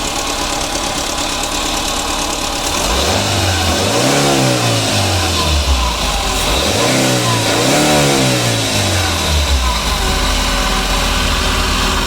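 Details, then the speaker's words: 2009 Daihatsu Grand Max petrol engine idling: a steady droning hum, somewhat noisy, following two brief revs; traced by removing the V-belt, the cause being a worn idler pulley bearing. "Jadi suara mesinnya seperti itu teman-teman. Jadi suara daripada mesin ini dia agak berisik dan dia mendengung."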